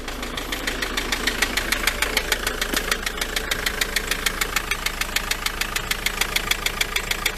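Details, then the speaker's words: Vehicle left standing about a month, just started: sharp, even ticking about three times a second over a quiet idle. A rattle whose source is still unclear. "right got it started but as you can probably hear it's got a bit of a rattle to"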